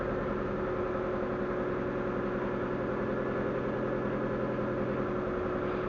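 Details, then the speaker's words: Proton Waja MMC automatic, after a cam sensor repair, with idle settings being reset: smooth, even cold-start fast idle held a little high. Once coolant reaches 80 the fast idle shuts off and rpm drops. "sekarang dia dia masih dalam K start lah sebab J dah sampai 80 dah dah sampai 80 dia akan tutup step api akan turun"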